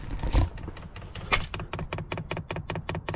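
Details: 2 kW diesel heater installed in a Land Rover Defender 110, priming after power on and pressing OK five times: crisp, evenly spaced ticks about five a second; the dosing pump pushes fuel into the filter normally.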